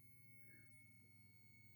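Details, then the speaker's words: About 60-year-old Braun Hobby F80 flashgun, unused 40 years, powered up after storage: faint steady high inverter whine at one pitch while capacitors charge, then stops when fully charged; normal charging. "quite a definite wine and it's just stopped it's just fully charged at that that's ready for another shot"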